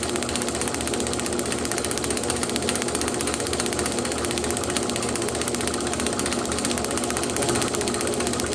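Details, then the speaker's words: Unstyled 1936 John Deere A magneto on test drive, tach about 450 rpm, speed varied up and down: rapid steady spark snapping over the drive whir, no skips; normal magneto, components appear brand new, including a new coil. "let's see if we can turn it up this fantastic spark now let's try slowing it down betting based off of how well that spark is I'm betting that we have some brand new components in here"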